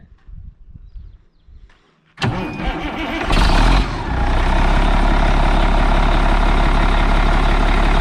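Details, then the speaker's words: 1997 Newell motor coach diesel, neglected in desert, started for inspection: cranks, fires, settles into deep steady idle unusually loud and raw, described as halfway to straight pipe; exhaust leak suspected, not confirmed. "Looks like we're already halfway to a straight pipe, so that's all right."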